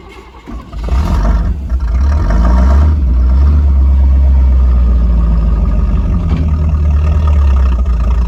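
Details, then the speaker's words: 1985 Chevy C10 305 V8 with quadrajet carb and new distributor, fuel from a jug, trying to move: engine labours flat under load, never revving freely; bogging, owner suspects timing still off. "it did try to move but it's acting crazy like underload so maybe it is still timing"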